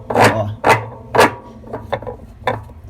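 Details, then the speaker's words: Consul CWE15 washing machine, basket turning slowly: rough scraping rubs about twice a second from a worn, stripped spline lock, which would be extremely loud at high spin speed. "imagina esse barulho aqui em alta velocidade aparece um avião decolar"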